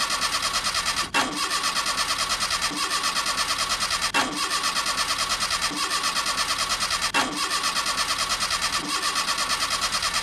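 Starter cranks steadily at about three beats a second in repeated bursts, but the engine never catches: a crank, no-start condition.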